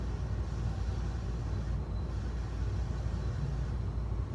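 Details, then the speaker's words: 1985 52-inch second-generation Fasco Charleston ceiling fan on medium speed, giving a steady, heavy low rumble from badly worn motor bearings, louder in reverse; the flywheel also vibrates and the fan wobbles. "yeah the bearings are super loud i've heard worse than this"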